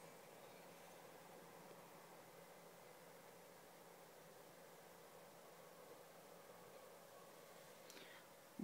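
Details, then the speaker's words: PS4 running Killzone Shadow Fall after new thermal paste and a cooling pad underneath: only a soft, even airy fan hum with faint low tone, no rattle or roar; fan now quiet and healthy. "noticed since I've changed the pa the fun noise isn't that louded anymore that it used to be now it's gone quiet"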